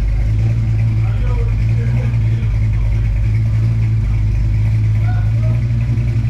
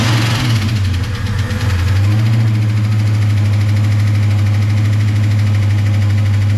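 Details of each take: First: V8 after cam work and carbon cleanup, warmed up: deep steady idle with even rumble and no ticking or clatter; earlier valvetrain chatter gone, normal idle. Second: First startup after valve spring work on an engine with lifters: light, quick ticking, about three a second, over an idling V8 rumble; tapping is considered normal after such work and expected to go away as the lifters pump up.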